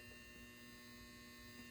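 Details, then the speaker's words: Lord of the Rings pinball machine power transformer: a steady low hum with a bright buzzing edge, constant throughout, annoyingly loud. The cause is unknown, and the only advice received was to smash it with a hammer. "and you know what it's very annoying it's this transformer listen to it i made a post about why the hell is my transformer so loud"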